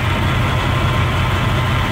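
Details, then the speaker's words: Vintage RV (LH2) with newly bled Hydroboost and fresh fluids: steady low idle with faint hiss and whir from the power steering pump, suspected low fluid or air in the system; vacuum about 11–12 psi. "you hear it you can hear the power steering i'm gonna make sure i top it off but"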